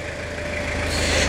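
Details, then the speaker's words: Restored Toyota Hilux (1992–2001 generation) "Garbosa" diesel, after the full engine restoration, with the T-Belt light on: a steady idle with even, regular clatter and no knocks or misses. Normal idle. "Muita melodia, né, moçada? É muita melodia."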